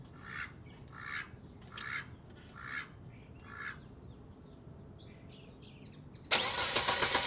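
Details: Volvo 850 T5 turbo first start in years after fuel pump and timing belt replacement, microphone low near the engine: slow steady cranking about four turns a second, then it catches suddenly and runs loud and rough.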